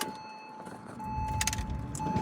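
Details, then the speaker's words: 2003 Porsche Boxster (tiptronic), flood-salvage car, key on but engine not starting; steady window motor whir rising slightly as the glass travels, no grinding or stalling — power windows working normally. "Windows work."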